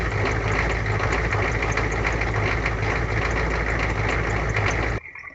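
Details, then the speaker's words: 1985 Ford F-250 with a 6.9 IDI diesel, restarted cold in winter after fuel gelling and adding anti-gel: steady, even diesel clatter at idle with no stumbling or hunting. The engine is running fine. "There you go. Started back up after being gelled. I'm just gonna let it run for a little bit."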